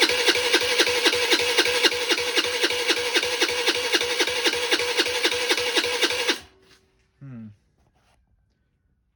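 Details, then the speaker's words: 2006 Volano scooter, long sitting, after plugging in the automatic choke and giving throttle: small single putters with fast even popping for several seconds then cuts out; runs poorly, fires then just turns over. "What was happening was it was just turning over, and it would fire and turn over."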